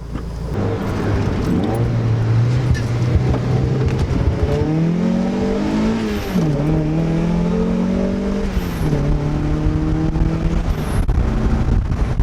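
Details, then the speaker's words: Turboed Mazda Miata (CX Racing V2 kit, different turbo, FMU adding fuel under boost) on boost pulls in roughly 105°F heat index after fitting a budget 340LPH high-flow fuel pump: pulls hard, pitch climbing smoothly through quick shifts, no stumble or cut-out; pump working great. "Okay, so let's take the car for a rip, which I can already tell you just from the drive home that the car is running a lot better."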